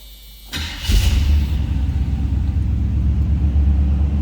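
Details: 1976 Chevrolet Monte Carlo V8, cold start: starter whirs briefly, then the engine catches and settles into a steady, even low rumble; clean, healthy cold start.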